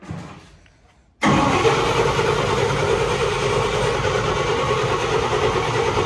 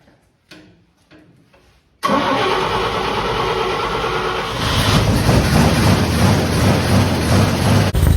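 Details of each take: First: Fire-damaged 1951 Chevy after carburetor flooding: starter cranks steadily at about three turns a second with no firing at all; no spark. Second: Fire-damaged 1951 Chevy, carburetor stopped leaking after it was tapped: a few clicks, quick catch, then steady, even idle with a slight lift in speed; runs smooth, normal idle.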